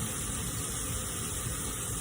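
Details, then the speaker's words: Stovetop pressure cooker of beans after a further 15 minutes cooking with vegetables, placed under the cold tap in the sink: steady hiss with bubbling water beneath, no spitting or sputter; normal pressure release, stopping when pressure is gone. "So now we're going to release the pressure from the pressure cooker once again. So we're going to turn our water on in the sink and bring our pot. And there it goes. You can hear it. They're still releasing the pressure."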